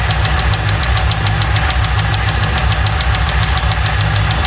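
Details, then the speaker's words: 1995 Lincoln Mark VIII 4.6 4V V8 after a timing-set job; it had arrived with no oil and a non-original filter: hard, regular metallic knock about three per second deep in the idling engine; likely rod knock, the engine needs replacing. "Sadly, this story doesn't end well. It sounds like it's got a rod tapping in it. She's gonna need a motor."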